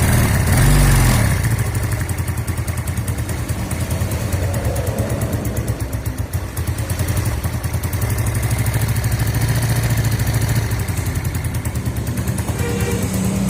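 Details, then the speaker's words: Yamaha Mio automatic scooter, long unserviced and stalling: single-cylinder idle slow and a bit uneven, around three and a half beats a second, judged too low before turning the idle adjuster up; low idle speed. "sini langsung nya kekecilan kita coba setel langsam nya agak besaran"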